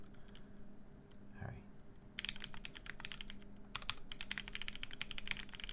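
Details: Duck Octagon v1 keyboard with POM plate, C3 Tangerine v1 62g switches lubed with Tribosys 3204, GMK keycaps: crisp even clacks of quick typing with no rattle or ping; healthy mechanical keyboard.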